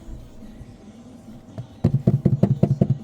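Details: Suzuki SX4 with a rear knock: dull clunks about twice a second as the rear is rocked. The whole suspension was checked, but the soft body shell is flexing and knocking. Clamping it stops the noise. Body panel knock, not suspension.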